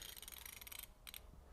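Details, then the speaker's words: Craftsman Overdrive 180-tooth ratchet with two offset pawls: a fine, very fast, tightly spaced stream of crisp ticks over a short turn; fine-tooth ratchet working properly. "And you can hear when I rotate, one will engage and the other one. Kind of like a click, clack, click, clack."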